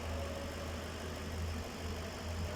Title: Ford expedition misfiring